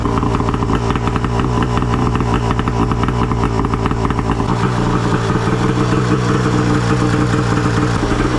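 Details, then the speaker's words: Arctic Cat F1000cc two-stroke EFI twin swapped into a Yamaha YFZ450, first start after fuel pressure cut to ~45 psi, coils swapped back, new plugs, flooded cylinders cleared; fired on one pull, crisp even idle, no misses. Normal idle. "yes holy [ __ ] she fired up I couldn't believe it she fired right up one pull and it idled right away"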